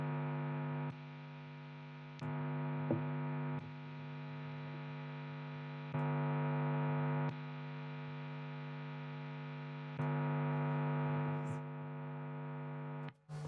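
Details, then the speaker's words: P90-equipped guitar into an amp, switching from the clean channel to the crunch/gain channel; steady low mains hum with a buzzy edge jumps louder on the gain channel, attributed to an extra whole or half preamp tube and different EQ. "It's considerably more in the crunch mode. Why? Because you've got an extra, either a whole or half a preamp tube."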